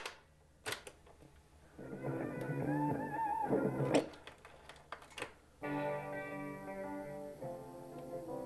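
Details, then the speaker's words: Panasonic RX-FS470 auto-reverse cassette boom box, played with a tape that long lived in a car: music comes out dull and muffled with almost no top end; a worn tape head is suspected, head misalignment thought less likely. "yeah so not much high end that maybe the worn out tape head it might be an alignment tissue but I don't really think so"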